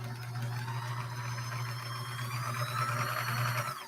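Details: Mid-1970s Kenmore 1755 sewing machine after servicing and deep cleaning: running smoothly with a steady low motor hum; the earlier ticking and high-pitched noise are gone.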